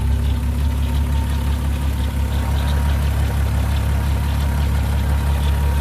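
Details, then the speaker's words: 2002 VW Golf VR6 GTI 2.8L idling after an AMSOIL engine flush had been added, before-and-after reference; a steady low idle hum with a faint loose beat and no sharp knocks or rattles, smooth and healthy. "go ahead let's start her up we'll see what she sounds like we'll get a little before and after so you can hear exactly what the engine kind of sounds like before and after"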